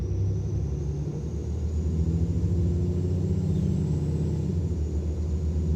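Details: Mercedes Citaro O530 LE bus with OM457 hLA/EEV diesel at full kickdown: a thin, steady high-pitched turbo whistle above the deep diesel roar, louder turbo whine than normal for this engine.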